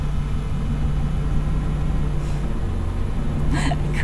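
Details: GMC Sierra with a long-running hard crank issue, just after a new gas cap was fitted: steady, even low idle with no misses, stumbles or hunting; healthy.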